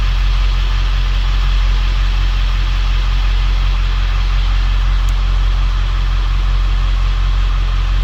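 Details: Ford 7.3L Powerstroke diesel 1-ton dump truck after valve cover gasket repair fixed the problem: deep steady warm-idle rumble, even and unbroken, no stumbling; sounds much better, smoked briefly at first.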